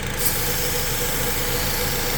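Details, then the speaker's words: 2012 Honda petrol engine idling rough with codes P0302/P0303 after coils and plugs were swapped; spraying starting fluid at the intake manifold base makes it shake, suggesting a vacuum leak at the manifold gaskets; lumpy idle beat under spray hiss. "at the intake manifold right here the car shakes we're going to have to replace the the the seals and the inch Manu I think that's that problem"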